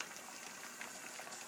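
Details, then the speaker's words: Pressure canner after 10 minutes of venting with the weight on, waiting for pressure to build: a soft, steady bubbling hiss of water boiling faster and faster inside. Normal boiling. "and you can hear the boiling going a bit faster and faster inside the canner."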